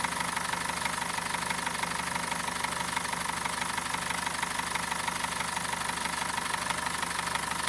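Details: BMW M47TU diesel engine at idle: sharp, regular knock at roughly two per second over a steady idle; a clear mechanical engine knock, cause not identified.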